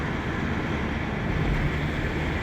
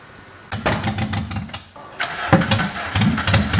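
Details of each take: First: 1998 Renault Laguna 2 2.0, 509,000 km, test drive after cylinder head and timing work: steady low drone with road rumble, no knocks, ticks or misses, engine pulling cleanly; normal running. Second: 1998 Renault Laguna 2 2.0 at 509,000 km, first start after an engine rebuild: it catches and runs lumpy with an even stumble about twice a second, a misfire from bad ignition leads that burned the plugs; the leads and plugs were replaced.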